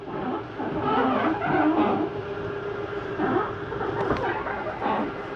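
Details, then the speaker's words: Jayflight 33RBTS travel trailer, slide-out brought in with doors and drawers closed: low, steady electric motor drone with gear hum runs evenly, no binding or skipping; normal slide-out retraction. "you can watch the whole slide as it comes in look on this side make sure our doors and drawers are closed and bring in your last slide"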